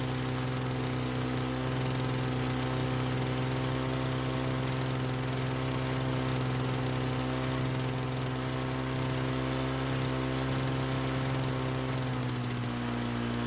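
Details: Lawn-Boy mower after replacing a badly damaged brake cable (wouldn't start): even, steady small-engine drone at constant pitch, no misses or knocks; briefly flooded when taken off its stand but cleared, running normally.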